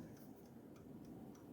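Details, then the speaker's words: Duraglow gas fireplace with main gas valve solenoid unplugged to mimic the fault: faint quick repeating clicks, pilot lit but no burner whoosh; main gas valve not opening, same symptom the owner had while troubleshooting. "and it does the same thing as when this was bad so I spent a lot of time troubleshooting this because everything was telling me that was the problem"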